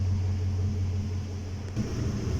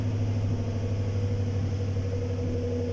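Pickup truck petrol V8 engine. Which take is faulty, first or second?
second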